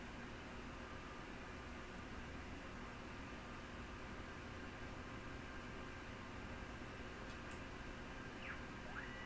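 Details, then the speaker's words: Yaesu FT-101E radio given full power after bypassing the dim bulb tester. A quiet, steady airy hiss with no knocks or rattles: its cooling fan is running normally. "Oh, we get another light now too. Yeah, it sounds like the fan's on."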